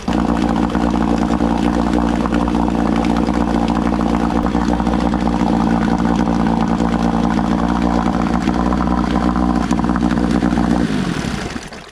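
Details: Old outboard on an aluminum flip boat after its low-speed idle mixture dial was turned counterclockwise in eighth turns to richen it: a steady, even idle putter with no sneeze or stumble, running clean until shutoff.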